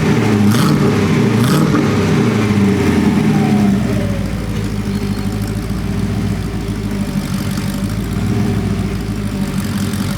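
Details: Porsche 928 V8 warm after sitting 10–15 minutes: blips then lumpy, hunting, stumbling idle, clearly not tuned; mixture too rich, and idle improves after the mixture is tweaked.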